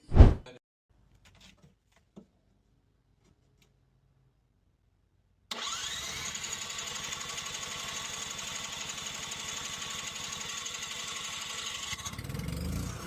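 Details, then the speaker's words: Cummins Onan LP generator in a Class B Mercedes Sprinter van, after no-start diagnosis, removal and reinstall: starts and settles into a steady, even hum with no misses or knocks; running normally. "So we're all done with the generator install. Everything's working, and I'm very happy with the results."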